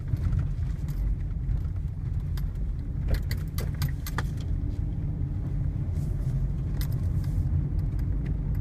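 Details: Toyota Altezza driving over the road: heavy low rumble with sharp dull knocks from underneath every second or so; suspension knock.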